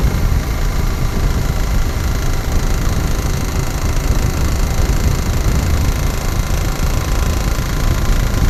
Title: Africa Twin, Knocking Sound